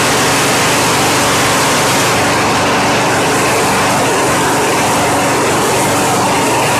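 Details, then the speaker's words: Craftsman 917.388113 lawn mower that previously started but would not keep running due to a suspected fuel blockage, running after carburetor cleaning: steady, even small-engine drone with no misses, surging or knocks, starts right up and sounds healthy. "well that engine just sounds good tightness wow that thing just started right up and ran once I put the spark plug wire back on it"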